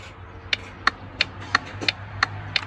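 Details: Volvo VNL truck dash turn signal buzzer speaker after replacement and soldering: crisp, even ticks about three per second over low cab hum during left turn signal and hazard test; flasher ticking works properly.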